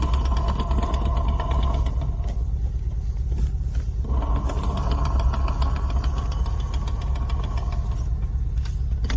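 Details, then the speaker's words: Niva transfer case rebuilt with new gears and bearings: heavy low knocking about three times a second with strong vibration; caused by a factory-defective large drive gear with one tooth not fully cut. "стук происходило из-за того что один зуб вот этот вот этот зуб видите не дорезан"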